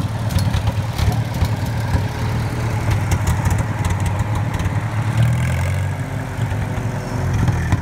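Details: 1954 Farmall Super M tractor, hood off, just driven through the gears; owner says it still needs tuning up. Deep, steady low thump at idle with even firing, no knocks, misses or rattles. Normal idle.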